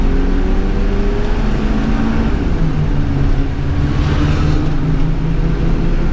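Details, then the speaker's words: RV engine pulling away from a stop after shop replaced the fuel pressure regulator (adjustable), fuel pump and O2 sensor; note climbs smoothly with no hesitation or flat spot: normal acceleration. "no problem there off the line no hesitation whatsoever"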